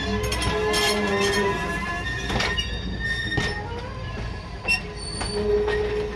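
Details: First run of the year, May 29, 2021, Arcade and Attica line: irregular clatter with several high, piercing squeals coming and going as the train rolls; wheels squealing on the rail, suspected to need greasing.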